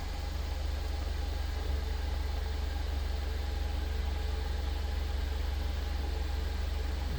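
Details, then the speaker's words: 2015 Mercedes-Benz CLA that had a crank-no-start with codes P008700 (fuel pressure too low) and P1CCF00 (high pressure not built at start), after repair: steady, even low idle, no knocks or misses; normal idle. "everything's working the way it's supposed to work so let's clear all the codes"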